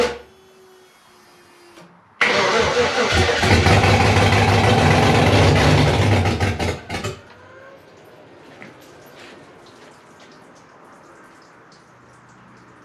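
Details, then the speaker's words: Freshly rebuilt 5.3 V8 in a 260Z, first start attempt, no coolant yet, checking oil pressure: about five seconds of steady, even cranking at roughly three turns a second with no catch; no start because fuel injection was left disconnected. "okay fuel injections yeah forgot to screw it down that was first try"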